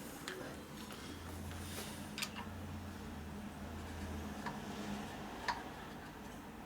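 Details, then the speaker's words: 1988 Harley-Davidson FXR hydraulic lifter worked by hand dry, no spring, no oil: few light irregular clicks as plunger bottoms and sticks; piston slightly big for its bore, same sticking that caused lifter noise. "Sticking. Hear it? Here, bottoming out. Put your finger on it. Feel it? Yep. Yep. See, it's stuck right there."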